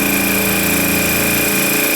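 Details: Air Star 30 dual-head oilless compressor building pressure toward cutoff during maintenance, checking it cuts off at 100 psi: steady high buzzing run with even hum, no knocking or rattle; normal.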